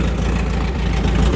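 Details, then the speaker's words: Volvo 740, just revived after about 20 years: steady low idle with a loud raw deep rumble from the exhaust, which is broken and detached; engine itself runs even and sweet. Exhaust flap was stuck, freed by working it; alternator not charging. "Yeah, the exhaust might be a bit broken. It would appear that the flap in there was stuck cuz I moved and worked it."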